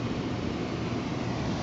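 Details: Residential rooftop package heat pump with the blower running: steady, even rushing of air over a low blower rumble as hot outside air leaks in through the poorly sealed factory blower access door, pressurizing the home.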